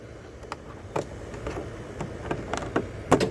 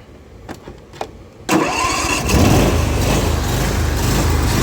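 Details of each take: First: Zero-turn mower with a newly installed PTO clutch; a few sharp, clean clicks as the electromagnet pulls in to engage the blade belt; engagement sounds normal, though the mower still bogs and dies after about 5 ft with blades on. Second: Zero-turn mower, following a valve adjustment; catches after a couple of cranks, then idle wavers and surges, and with blades engaged it bogs and won't stay running; owner found no head-gasket signs; cause unknown.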